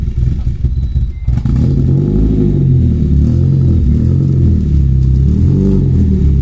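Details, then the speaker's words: BMW E30 318i drift car just after a Dinan performance chip was fitted to the ECU: after a brief stumble the idle hunts, swelling and sagging unevenly; the owner notes it leveled out once warm the day before and suspects it is adapting to the chip. "alright guys so hooked it all back up it's definitely running you can hear it's idling really off right now"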